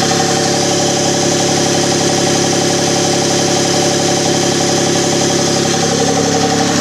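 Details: Engine idling with a steady deep knock around four per second; owner suspects spun bearing, unconfirmed.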